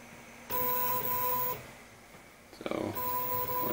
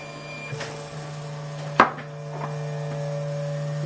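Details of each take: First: RepRap Wilson TS 3D printer during firmware setup: two clean bursts of steady high stepper whine about a second each, Z-axis motors moving normally without skipping. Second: RepRap Wilson TS 3D printer during first calibration print: irregular sharp clicks over a steady motor hum as the extruder skips because the nozzle sits too close to the bed at the edge.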